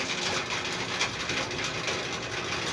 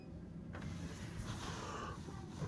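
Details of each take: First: Whirlpool Duet Sport washer not draining. A harsh, gritty, uneven grinding runs continuously over the washer hum, from the drain pump; the pump was cleaned out and replaced. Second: Whirlpool Duet Sport washer after drain cleanout and drain pump replacement, draining: steady low hum with water rushing through, no grinding or rattle; drain pump now running smoothly and emptying normally.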